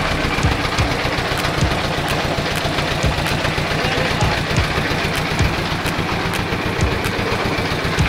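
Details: Rice mill drive engine in a rice-milling shed, after adding a bought exhaust muffler to reduce noise. Even single-cylinder thumping about two and a half beats per second, muffled exhaust, no knock; normal running with added muffler.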